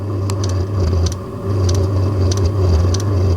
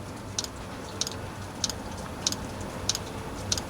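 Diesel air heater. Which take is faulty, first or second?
first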